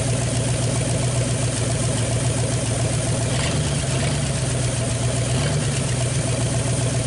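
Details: 1959 Ford Galaxie Fairlane 500 V8, first start in years after sitting off the road since about 2010: steady idle with a faint quick light tick, likely a lifter tapping, expected to clear with driving; no smoke.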